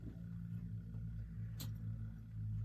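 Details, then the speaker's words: Ingraham art deco electric clock from about 1938, marked faulty, plugged in on the bench: steady low mains hum and the motor barely starts to move, probably because dried, gunked oil binds the rotor. Seized clock motor rotor. "ah it started to move okay now if this is not turning freely what that means is the rotor in here the oil in it is pretty probably dried out and gunked up"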